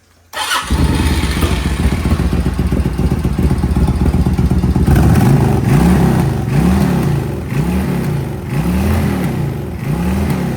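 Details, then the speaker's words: Suzuki VS1400 Intruder V-twin after cleaning gummed-up carburettors; fires straight away, strong even beat, revs rising and falling cleanly, running on its own. "Okay, she is running on her own. She is running on her own."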